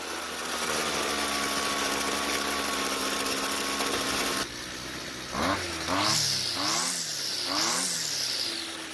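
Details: String trimmer that was hard to start hot and idled poorly, after a slight carburetor fuel adjustment: settles to an even idle, then repeated clean full-throttle bursts with no stumble; now runs properly.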